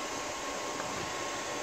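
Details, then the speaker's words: APC Back-UPS XS 1300 desktop UPS reassembled with the temperature sensor reconnected. A soft, steady airy fan whoosh with no beeps or rattles: running normally on mains with no error. "Click Clack see if we get an error all right so that's happy three mics and whatnot clearly there's no error"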